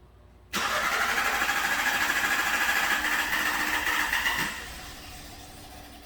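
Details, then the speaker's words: 2016 VW Golf 1.8 (also called a 2017), with hard cold starts, long cranking, random misfires and negative fuel trims despite new injectors and walnut-blasted ports: on restart after rail pressure climbs, it churns unevenly, barely runs and stalls. Suspected fuel seeping through the injectors and flooding it. "barely running it actually stalled to me it seems like fuel is seeping in through the injectors you heard it crank your crank and crank and it's like it's flooded"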